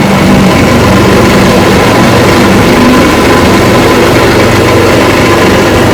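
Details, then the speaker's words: Rebuilt 1959 Evinrude 18 hp fast twin two-stroke outboard, warm after 15+ minutes of running, with the cooling problem looking fixed. Loud, steady drone at constant speed, no stumbles, rattles or knocks. Normal running. "Yes, sir, she is a beauty. A little check on reverse here. Yeah, reverse works. Still pumping water."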